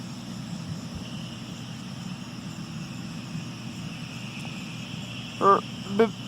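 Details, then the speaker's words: John Deere 4440 tractor pulling a New Holland Roll-Belt 450 round baler in alfalfa and clover: steady tractor drone, then two short sharp belt squeals as the bale chamber fills. "of the baler must be getting full. Hear the belt squealing."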